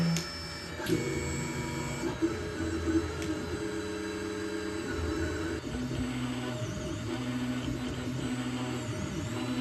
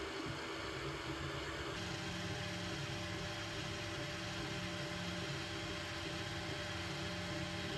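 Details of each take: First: Stock Anycubic Mega S 3D printer, original firmware and stock stepper drivers, before upgrade, starting a print: loud, buzzy, tuneful motor whines changing pitch with each move; most of the noise comes from the stepper motors. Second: Anycubic Mega S 3D printer printing after the upgrade to Klipper firmware and TMC2209 stepper drivers on the TriGorilla board: a soft, steady whir with faint even motor tones, no clicking or grinding; amazingly quiet normal operation.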